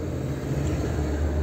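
Low, even hum with a steady beat and no knocks or hunting: a smooth, healthy idle around 800-900 rpm.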